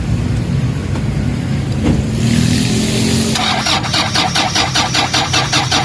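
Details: Toyota Fortuner common-rail diesel: uneven starter churning, no firing catch; crank-no-start blamed on air in fuel lines and low battery too weak to build rail pressure.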